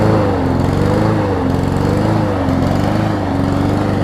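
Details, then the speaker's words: Troy-Bilt self-propelled mower with donor Honda engine, just started: engine speed rises and falls about once a second before settling; surging until it catches, seemed to run at low rpm, governor linkage later moved. "Surges a little bit until it finally catches. There we go."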